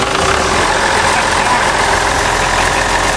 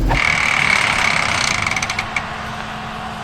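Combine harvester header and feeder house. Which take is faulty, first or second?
second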